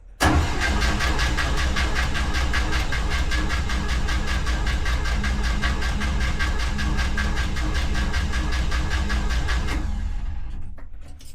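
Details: 1964 International Scout 80 after a swap to a new mechanical fuel pump, no starter fluid: steady rapid cranking about two and a half turns a second for ten seconds with no catch; fuel is suspected of not reaching the carburettor, unconfirmed.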